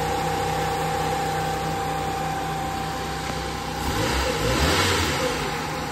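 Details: Nissan B13 with carbureted GA13 engine, after fixing the no-start by rewiring the radiator fans back to the automatic switch instead of feeding them directly from the ignition key: steady, even idle with a smooth low hum and a brief light blip near the end, running cleanly without misfire.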